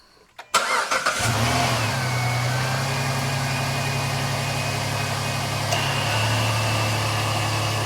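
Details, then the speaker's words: 2007 Jeep Liberty with P0302 and P2305 codes, after replacing the spark plugs on all cylinders: it starts at once and settles into an even, steady idle with no stumble or miss. Fixed, silky smooth. "up well there you have it babies silky smooth again"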